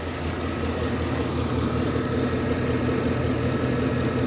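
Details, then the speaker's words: Vortech-supercharged truck with regular oil changes: steady, even low rumble with a faint constant supercharger whine and no knocks or misses, a healthy idle. "she does sound good though man power locks manual windows let's take a listen to that vortech there listen to her purr man"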